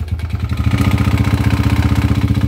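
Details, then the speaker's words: TMX 125 Alpha engine, run before teardown for 200cc conversion: heavy rapid clattering about fourteen beats a second, a helicopter-like flutter over idle; very loud engine clatter, internal cause unknown. "Nako, may helicopter sa loob ng makina mga kabro. Yung helicopter pumasok sa loob ng makina nito kaya ganun kaingay."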